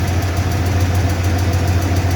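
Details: 1995 Ford F-150 5.0 V8 at idle: light, fast, even tick keeping time with the engine, seeming to come from the driver's side of the engine; top-end tick, source not yet pinned down, recorded for the audio.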